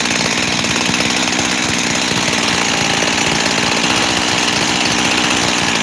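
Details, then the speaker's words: Freshly rebuilt 372 X-Torq saw runs a high, buzzy, lean idle that hunts. The base gasket was sealed with 1184 and seems fine, but spraying the cover nearly stalls it, so the owner suspects an air leak at the cover. "I can almost kill it by spraying on that cover there. I think it's the cover. I do. So it really seems to be the only place that's holding me back."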